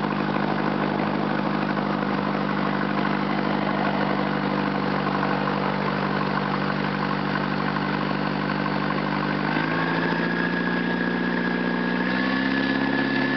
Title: 1995 Ford Escort Lx Exhaust Leak